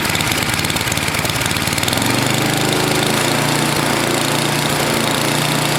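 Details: NOMA 8hp snowblower, single-cylinder, cleaned carb: chuffs unevenly for a couple of seconds then settles to steadier idle, not running bad; owner suspects sticky valves from long rain exposure, hoping it improves when warm.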